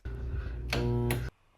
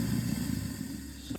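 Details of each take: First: Garbage disposal in a rental kitchen, switched on while both sink and dishwasher fail to drain, with the P-trap found clear: steady low electrical hum with no spin-up or grinding, motor powered but stalled, so the disposal is jammed. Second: Kitchen-sink garbage disposal, tested after clearing the clog that stopped the sink and dishwasher draining, runs with a steady low motor hum and no grinding or rattle, then shuts off cleanly; normal.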